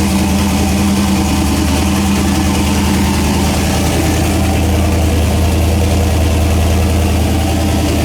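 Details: Engine running after a new head gasket, reassembled with copper RTV: steady, even low rumble with no knocks or misses, smooth settled idle; normal idle.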